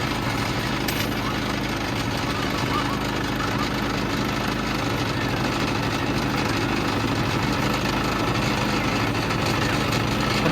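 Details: Harbor Freight Predator 3500 inverter generator at 984 hours, warm start with eco mode off: steady engine drone with a loose, buzzy rattle on top from wrenches and sockets vibrating on a glass table; the generator itself runs normally.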